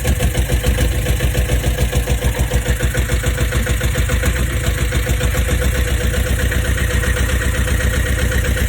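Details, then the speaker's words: Boat diesel after oil pressure switch replacement, first start in over four years: chugs steady and even but quicker than proper tick-over; raised idle needing to be brought down. "[Music] that's not the tick over now bring it [Music] down I think he need just crank it up a fraction to take [Music] over obviously going to to high when it goes in air"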